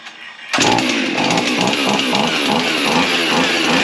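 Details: Husqvarna 55 chainsaw after carb kit, started with fuel squirted in: it runs but surges and sags about twice a second, then dies; fuel line was drawing bubbles rather than fuel, suspected fuel delivery problem.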